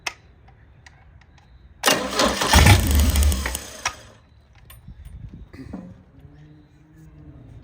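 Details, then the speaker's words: 1987 MerCruiser 3.0 boat engine, fuel poured down the intake: a few quiet cranking turns, then a loud two-second burst of firing that dies at once, proving spark; a lot of gas. "Well, I'd say it's getting spark since it just literally fired. Just a lot of gas."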